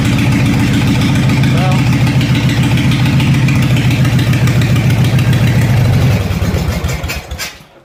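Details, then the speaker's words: Craftsman 14 hp riding mower with homemade dual exhaust and baffles, clutch safety switch bypassed: loud, even, deep exhaust beat at idle, about 3–4 pulses a second with no miss, then a clean shutdown; normal running. "sounds like a 40 horse instead of a 14 horse but that's that"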